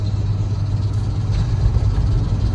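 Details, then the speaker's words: 1994 Ford F-150 on a test drive after a loose crank pulley and alternator bracket were tightened enough to drive, tires possibly flat-spotted: steady, even low rumble under way, no knocks, misses or whine; engine runs well. "see if we can turn around here yeah this thing runs damn good"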